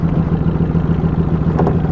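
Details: 2003 VW Jetta 1.8 turbo, 174,821 miles, codes P0341 (cam position sensor) and P0011 (cam angle): rough, lumpy idle pulsing about seven times a second with shaking. Owner suspects the cam position sensor; not confirmed.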